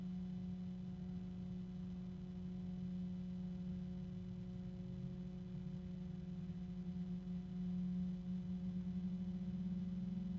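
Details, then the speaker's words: Rosewill RFA-120-K 120 mm sleeve-bearing case fan running: smooth, quiet, even hum with a faint airy rush and slight rubbing and harmonics; normal, though the sleeve bearing won't stay quiet. "Sleeve bearings. And it's pretty quiet. It won't stay that way because it's sleeve bearing. You can hear a little bit of rubbing."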